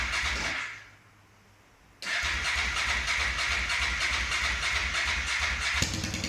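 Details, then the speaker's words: Honda NTV 650 V-twin, off the road about 10 years and first started after storage, petrol on reserve: catches after a brief crank and quiet gap, then settles into an even steady beat, no knocks or misses; runs well. "I don't know how well that's going to come out on this phone but you can hear it runs quite well bearing in mind device went off the road and not used to start it for 15 years"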